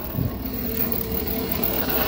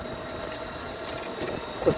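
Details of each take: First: 1998 Club Car DS golf cart differential/transaxle: a thin mid-pitched whine over the motor hum that comes and goes, loudest at no load and quieter when accelerating or decelerating. Dry motor-to-differential spline, fixed with silicone on the splines. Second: 1998 Club Car DS golf cart rear transaxle after applying silicone to the axle splines and adding heavy-duty oil stabilizer: soft motor whine and light rolling noise, none of the earlier spline racket; quiet and healthy.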